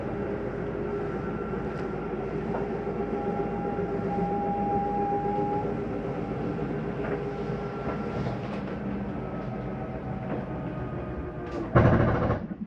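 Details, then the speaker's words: 2022 Jayco Eagle 28 5RSTS, dinette slide-out retracting; steady motor drone, then short loud rattling burst at full retraction; normal end-of-travel stop, nothing grinding. "I want you to hear that noise on that slide. That is just the slide mechanism telling itself not to go in any further. There's nothing grinding on your slide."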